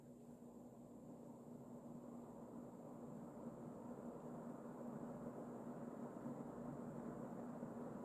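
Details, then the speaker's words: Emerson Casablanca Designer CF-2036W 36-inch plastic ceiling fan, early-mid 1980s, K-55 stack motor, two-speed, switched from low back up to high: soft steady whoosh rising as it spins up, faint even hum, no ticking, strong wind underneath; normal running. "Oh yeah, right underneath of the fan, it's just like a hurricane force wind."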